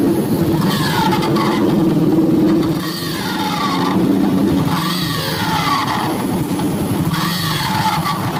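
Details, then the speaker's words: Honda Revo (lancip) small single-cylinder motorcycle revving up and down with a rough rattly clatter over the exhaust, unlike a normal engine; abnormal noise, engine to be dismantled to find the cause. "ada yang aneh guys tidak seperti suara motor pada umumnya"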